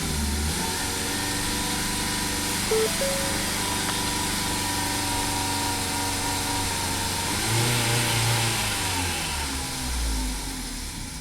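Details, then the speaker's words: 2017 Ford Focus after owner's used DSG transmission and new dual clutch swap, won't hold idle, MAF reading 0 g/s: ragged surging running with stumbles and intake backfires, barely staying lit. "Something's very weird. It's like backfiring and then blah."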